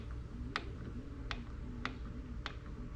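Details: Lymow One robotic mower on day 3 of ownership: sharp, slightly uneven ticks about every half second over a quiet motor hum, seemingly from inside the track drive; cause suspected, not confirmed.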